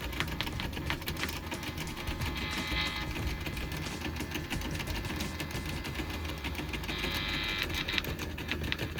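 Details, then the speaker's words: Philips bed-type cassette tape recorder on mains power with a badly worn belt and a cassette loaded: a steady motor whir and light mechanical chatter as the tape turns, but no playback sound, traced to a faulty volume control. "ஓடுது ஆனா கேசட்டும் இருக்கு sound வரல"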